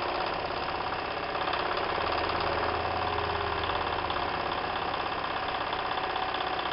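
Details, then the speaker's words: Märklin 4097 steam engine, warmed up, after a new crank replaced the broken one whose worn brass thread no longer held it to the axle. A soft, quick, even chuff of about three beats a second, with no knock: it runs very quietly. "now the engine has warmed up and you can hear that the machine is actually running very very quiet"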